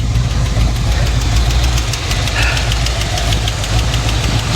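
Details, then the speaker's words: Burnt-down 1955 Chevy Bel Air, no coolant: loud, uneven low-pitched running with irregular knocking at steady speed; running on its own but running real bad, cause not pinned down. Rough running with knock. "Well, at least she's running on her own. Oh, she's running bad though. She's running real bad."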